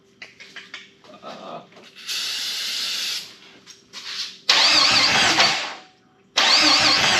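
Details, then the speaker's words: Jeep XJ rescued from scrap, running ragged bursts on starting fluid: a sharp metallic clatter rides each catch, which the owner believes is a piston pin hitting the cylinder walls; it does run. "That don't sound good. There's a piston pin going. It does run though."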